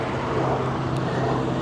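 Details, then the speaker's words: Auction car with a broken air intake hose after the mass airflow sensor, patched with a trash bag: steady even low idle hum with no knocks, misses or squeals over faint outdoor noise. Engine running and idling normally. "it's no big deal I'm not concerned about it sounds like it's running"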